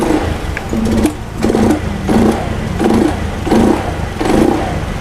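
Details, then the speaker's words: Honda Scoopy fuel-injected scooter after repair, idle now normal: repeated throttle blips about one a second rise cleanly and drop back without coughing or bogging; before the repair it hesitated under throttle and stalled after about a minute of idling. Normal revving. "sekarang kita coba gas nah udah enggak ada batuk-batuk ya nih"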